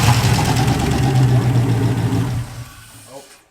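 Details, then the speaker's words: Engine running rough: uneven, lumpy idle with a stumbling beat that dies out; no spark traced to a broken engine wiring harness, shaking the harness made it fire. "alright so yeah she runs but a little funky obviously the harness has just clapped I don't want to run it and have it run crappy I know it's the harness but she lives"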